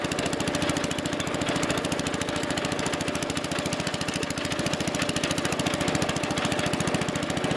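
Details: Wheel Horse Commando 800 with 8 hp pull-start single-cylinder engine and sickle bar mower, after replacing old drive belts: steady even popping beat, no misses or knocks, running normally.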